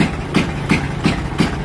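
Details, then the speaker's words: Motorcycle cutting out and misfiring like rapid backfire, worse under heavy electrical load with headlight on: idle stumbles with heavy surges about three times a second instead of running even; misfire from faulty voltage regulator and discharged battery. "putolputol pa rin putol-putol sa Menor basta may suo ng maraming kuryente"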